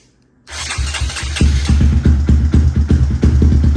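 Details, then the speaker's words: Big bore Grom single-cylinder bike with larger fuel injector fitted, before Dynojet Power Vision tuning, owner thinks too rich: catches after brief crank into uneven, loping firing about three beats a second; rough running after start. "so as you guys can see I put the uh bigger injector on here so now it's going to be spraying significantly more fuel I think it's a little too rich so here's a little taste for you guys"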